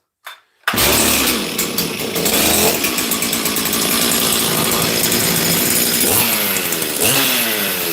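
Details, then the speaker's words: Chainsaw revving hard with a rough note that stumbles now and then; misfire. "I'll play with that saw this week it has a Miss in fact I don't know you guys might be able to hear it"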